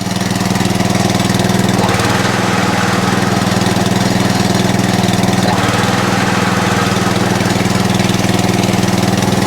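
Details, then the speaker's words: Atco Balmoral cylinder mower after the drive pulley was adjusted in: a steady, even engine beat at constant speed with no chatter or knocking. The drive works; owner thinks the belt may be the wrong one but it works. "there you go no chatter now so we'll tighten that up does the drive still work yep lovely any chattering here"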